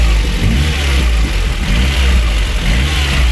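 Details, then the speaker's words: VAZ 2109 after head gasket replacement, cooling system bled, idling: smooth, even low rumble, no misses or knocks, no boiling or gurgling; claimed 80,000 km original mileage. "зараз працює на холостих тестую як робиться все адекватно не кипить не бурлить"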